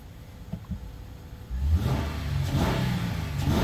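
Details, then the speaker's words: 2013 Honda Odyssey after fixing a misfire suspected to be from an improperly installed spark plug, coil possibly faulty: after a few light thumps the engine picks up and revs cleanly, even note, no stumble or popping; starter sounds odd; normal running. "starter sounds funny look it's running smooth you've seen it earlier the check engine light started flashing"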